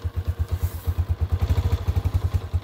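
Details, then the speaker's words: 2022 Honda CG 125L, 500 miles, started cold on half choke on a hot day: single thumping about ten beats a second, slightly uneven and clattery; rough cold idle, cause not pinned down. "this one sounds like a bag of sh it's not warm it's cold this"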